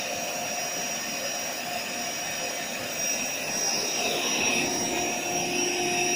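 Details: AeroBed Deluxe Raised double air bed, built-in electric pump inflating it, owner told of a pinhole leak somewhere: steady, even high-pitched electric whir with constant hum, no surging or rattling; pump running normally.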